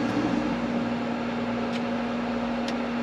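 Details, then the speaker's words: Campervan ceiling fan running at full speed off a Jackery power station, drawing about 80 W total: a steady, even whoosh with a constant low hum and no ticking, scraping or wobble; it runs normally. "so what happens if i turn my ceiling fan on there guys turn it on full there you go so my ceiling fan is now in full"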